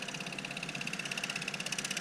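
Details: Kohler K301 engine generator, sat for years, with broken crank reset button, after ground wire re-soldered: distant steady high whine with even rapid pulsing, holding speed without stumbling; normal running.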